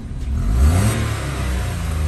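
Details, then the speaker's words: Citroen C1 bought with front-end damage, first start after sitting long: earlier ticking from no oil at top of head has gone; engine rises smoothly in pitch on a throttle blip, then settles to a steady, even drone, no ticking or knocks. "love that sound it just sounds so annoyingly love it"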